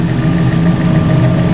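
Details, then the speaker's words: Fiat 500 engine idling after timing-belt replacement, cooling system bled and refilled with new antifreeze: steady, even idle with a smooth low hum, no knocks or ticks; sounds much better than before the repair. "So it sounds a hell of a lot better than what it did before."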